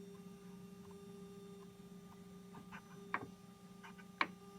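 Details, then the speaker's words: Korg NTS-1 synth output: faint steady low hum with a higher whine under the quiet signal, never stopping; ground loop noise, per manufacturer tech support, fixed with a ground loop isolator. "um you can actually hear the noise and i wasn't actually sure what it was i was really worried that there's something wrong with my nts one"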